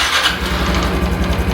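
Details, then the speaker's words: Honda Hunter Cub CT125 (JA65) engine just after startup at idle: fast, even clattering rattle over low idle thump, said to get louder as it warms and absent when revving; owner suspects clutch damper, manufacturer says not affecting riding, cause unconfirmed. "まあとりあえず音だけは取れたんで、音取れた。結構目立ちましたね。目立つカタカタ音。"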